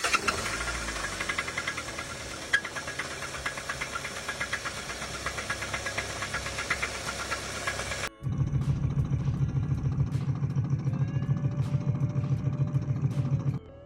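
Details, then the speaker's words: Hyundai engine in for rod knock: steady deep heavy knock repeating regularly under the idle throughout; worn rod bearing knocking. "yet another Hyundai in for some rod knck these are some of the most reliable engines out"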